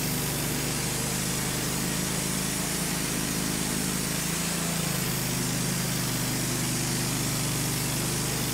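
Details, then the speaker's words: Wood-Mizer LT15 sawmill engine while sawing an American beech log; steady drone sags in speed once midway, then picks back up. Recurring surging and sputtering over recent uses, cause unknown. "We've had troubles with it the last few times, sputtering, and you hear it going up and down in the background."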